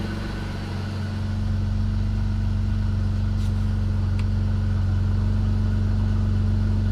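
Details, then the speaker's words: BMW E46 330i first start after overhaul with new intake manifold and CCV parts: six-cylinder idles slightly lumpy and uneven under a steady drone, still not sounding great; rough idle, error codes being read, cause not yet confirmed. "let's read the error memory again so we only get one error code come back up there so it still doesn't sound great"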